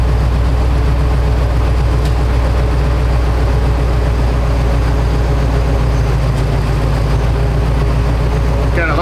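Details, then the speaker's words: 2011 Ford F-250 Super Duty, about 115,000 miles, exhaust rotted out: steady even low idle rumble with no knock or miss; intermittent stalling with no codes, another shop blamed the fuse box, cause unconfirmed. "look everything looks normal when it's running you know so nothing weird but it just does that just quit"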